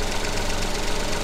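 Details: Coil-on-plug engine at idle while the oscilloscope trigger is set up for the coil signal. Steady, even idle hum with no stumble or skipped beats. Normal idle with balanced cylinders.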